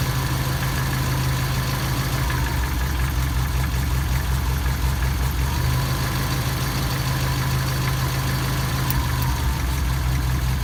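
At idle, a faint regular tapping rides over the deep engine hum, steady throughout; knocking present, source not pinned down.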